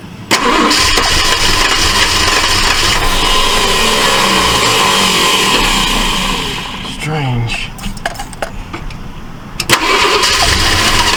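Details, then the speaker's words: 1968 Ford LTD, long abandoned: engine fires and roars only while the starter turns, dies on release; owner suspects the coil is wired wrong. "okay seems like it's only firing when it's turning over it's not uh like it's stop firing when it's not turning what it seems like cuz more I hold the starter uh the cylinder it's firing and when I let off of it it stopped firing"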